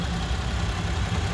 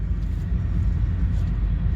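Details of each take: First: 2017 Toyota Sienna AWD idling after start-up at a pre-purchase inspection; steady low idle with faint quick ticking like fluttering cards, ordinary direct-injection injector noise; normal. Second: 2017 Toyota Sienna AWD just started at a pre-purchase inspection, idling; deep steady rumble with a lower-end resonance; resonance noted, cause not identified.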